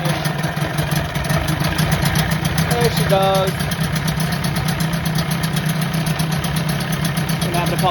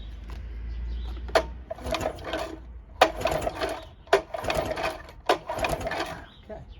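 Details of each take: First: 1984 Johnson 25 HP two-stroke outboard, first start after removing lanyard cut-off and kill switch: catches after a few pops into a steady, even idle burble; running normally. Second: 1984 Johnson 25 HP outboard that runs then won't restart hot: four quick pull-cord cranks, brief rasping spins with no firing; no spark on either cylinder by block test, suspected bad coils, trigger or power pack.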